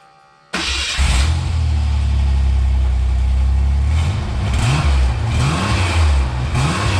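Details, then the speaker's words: 1988 Ford Bronco II, cold, after fitting a temporary unclamped muffler and pipe for testing: engine settles into a deep steady run with clean rev blips, previous exhaust noise gone. "All right, good news. That did take care of it."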